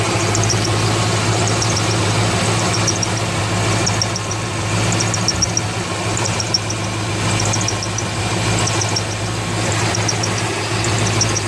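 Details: 2003 Corvette Z06 V8 at idle with short high squeaks or chirps about once a second from the belt area, starting about thirty seconds after a new main belt was fitted; main tensioner checked fine, source unconfirmed, AC belt, idlers and harmonic balancer still to check.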